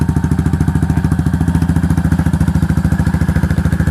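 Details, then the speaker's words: Yamaha SR400 single-cylinder after repair of noisy engine by replacing worn valve rocker arms: slow very regular thump, about three and a half beats a second, no top-end clatter; quiet normal idle. "ช่วยบอกบัญชีนะครับว่าเสียงแบบนี้เนี่ยมันเงียบหรือเปล่ามันปกติหรือเปล่านะครับผมผมเล่นนี้เรามา10กว่าปีนะทำเวลามาเยอะนะผมบอกว่าผมบอกเลยว่าคันนี้เงียบสุดเลยนะครับ"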